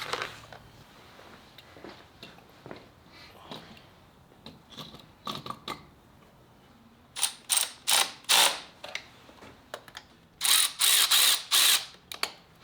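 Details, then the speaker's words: 1995 Ford Mustang GT with 302 V8 converted to carburetor: new clicking electric fuel pump for a carb wanting about 5 PSI, priming the fuel system; short bursts of fast sharp metallic ticking, no leaks seen; normal priming. "okay for now I'm just going to Prime that watch I hear it filling up I don't see anything coming out yeah nothing's coming out"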